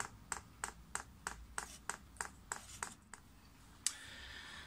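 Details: Chinese diesel heater priming via LCD controller (hold OK, down, then up arrow): about nine sharp, evenly spaced clicks roughly three per second, then a thud; normal dosing pump ticking while fuel level rises.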